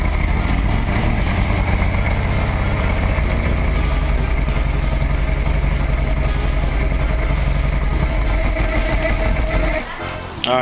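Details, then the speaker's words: Outboard boat motor, carburetors suspected gummed up from sitting long, running off main tank before carb cleaner mix: ragged, uneven running with stumbling beats for about ten seconds, only running on a couple of cylinders, then sags and stalls; cause not confirmed. "See, there in lies our problem is that it won't stay running. It's only running on a couple of carves."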